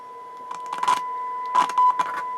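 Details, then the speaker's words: Sansui R-606 stereo receiver on tape monitor one, idling about 18 watts: test tone crackles roughly and drops in and out as the slider volume control moves, both channels, right worse; worn volume slider potentiometer. "You hear how bad this volume slider is. Both channels. Let's concentrate on the left channel first."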